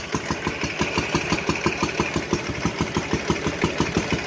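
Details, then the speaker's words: Ural twin motorcycle revived after sitting 11 years, plugged carburetors cleaned but not yet adjusted; steady thumping about three beats a second, slightly loose rhythm, both cylinders firing; running idle needing carb tuning. "good there she runs next thing we do is get it running real good finish hooking everything up and go for a ride"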